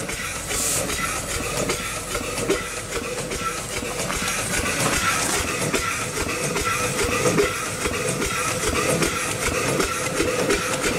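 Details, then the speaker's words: Upright steam engine, restored after sitting for decades, running on about 30 psi; steady chuffing exhaust at roughly seventy beats a minute over a constant steam hiss, with no rod knock. Running well for the first time in perhaps 80–100 years. "we'll do more to it but for now it is running it's running pretty good first time in probably 80 or 100 years it's hard to say"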